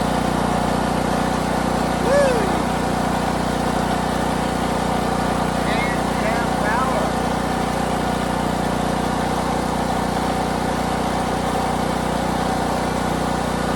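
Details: Harbor Freight Predator 8750 generator, used nonstop for about a year, first run after replacing burnt brushes and the voltage regulator: steady even engine drone with a constant low hum, no misses or surging, showing 120 V output. Worn brushes were apparently the fault.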